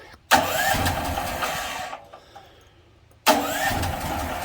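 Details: DuroMax portable house generator, unloaded, LP gas noted, pulled on choke then without choke: it catches, runs roughly about 1.5 seconds and dies, and the next pull does the same. The fuel valve was later found off. Cause not confirmed.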